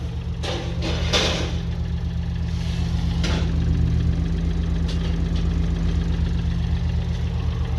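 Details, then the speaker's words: BMW i8 three-cylinder bought with overheating issues and a suspected blown head gasket, no exhaust smoke, at idle: light even tapping about four times a second; unsure if normal, much of the noise comes from the car's speakers. "a little tappy i got gotta tell you i don't know if that's normal for a three cylinder or not"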